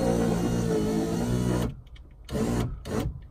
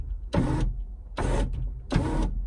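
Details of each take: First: Ferrari 308 (80s) electric window: strained motor hum stalling and restarting in short bursts as the glass goes up; window goes down but sticks going up and needs a helping hand, slow power window. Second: Power window motor on a 1980s Ferrari 308, passenger side: three short, even motor whirs, each about a third of a second, with no grinding or stalling; the window motor runs normally.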